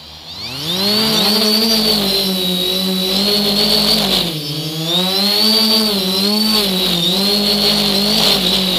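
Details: Engine vibration: engine revving up and down with a strong droning note and a high whine that follow speed; vibration present, cause not obvious.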